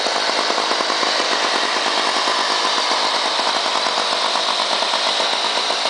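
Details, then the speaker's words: Lawn Boy 8241 two-stroke mower from 1984 with blade brake clutch, running with no blade load. Fast, even buzz with steady rapid firing and no misses or surging. Healthy, normal. "que sound when you when it starts up and that it's uh the engine doesn't have a load on it if you listen to any of the other videos on YouTube you'll notice that has a different sound"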